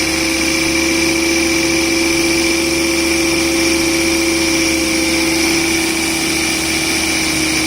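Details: 2006 Volvo V70 R cold start idle: a steady tinny, rattly howl, traced by stethoscope to the turbocharger housing, from a bad turbo. It is also heard accelerating around 2,000 rpm and stops abruptly above 2,500 rpm as boost builds.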